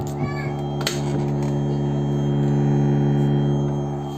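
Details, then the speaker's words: 2SD5200 transistor amplifier powered on and turned up; steady low hum with a higher whistling/squealing tone at constant level from the amp board. Cause suspected, not confirmed. "इसमें दोस्तों इस तरह का sound ए रही है दोस्तों इस sound को हम किस तरह ठीक करते हैं दोस्तों आज की वीडियो इसी के ऊपर होने वाली है"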